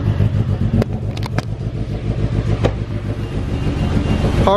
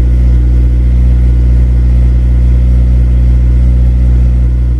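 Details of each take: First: Car cold-started on a below-freezing snow day after jump-starting a totally dead battery: uneven, lumpy low idle with irregular pulses, sounds like it will stall, lots of smoke. Rough cold-start idle, cause unclear. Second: Honda Civic Si, cold start below freezing in snow after sitting about two weeks: engine catches and runs an even high idle, then settles to a lower steady beat around five seconds in; a clean cold start.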